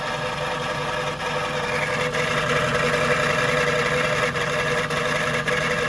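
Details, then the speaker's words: Jaguar XK8 V8 at idle, heard from under the car, A/C on: even idle with a light metallic rattle about three times a second, much worse with A/C; accessory drive suspected, unconfirmed. "I've just turned the AC on and listen to that. What? It's much worse."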